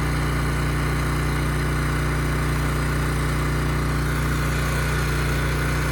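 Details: Ridgid generator, Yamaha MZ360 engine, about 10 years old, idle 4 years, rusted tank and carburetor repaired. It carries a 3,000 W load with a smooth, constant drone at steady speed (60 Hz) and no hunting, surging or misses: normal healthy running.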